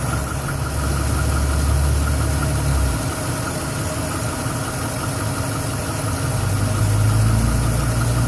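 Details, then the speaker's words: 2011 Silverado 5.3L V8, 126,000 km, after sitting 8 hours: struggled to start, then shudders and surges at idle as if about to die, uneven ticking about four per second; valve cover with built-in PCV recently replaced; cause unknown. "She's idling rough now too. Oh boy. Seems like it wants to die. Holy shit. Fuck. That is not good. Yeah, she's got quite a shudder and quite a bit of wonky noises going on."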